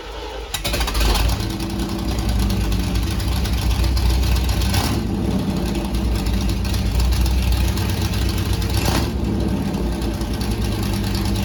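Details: C3 Corvette V8, first start after fitting side-pipe headers (open headers), louder than expected: very loud, raspy, steady fast idle that never settles; engine still idling high, cause not confirmed.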